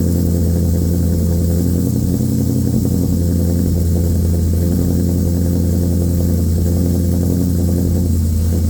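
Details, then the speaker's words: A newly LS-swapped 1985 Trans Am with a Brian Tooley Red Hot cam and an unfinished tune, warm (not a cold start), before its first drive. Deep, loping idle with a steady choppy rhythm and no knocks or misses. Normal cammed idle. "but let's get this Beast started and he what it sounds like with the Brian Tuli red hot cam"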